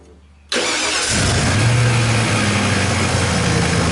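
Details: Ford F-150 after starter work and repair of corroded terminals and wiring (previously barely cranked cold, no crank when hot): quick clean catch straight into a steady, even idle with no drawn-out cranking. Healthy start after repair.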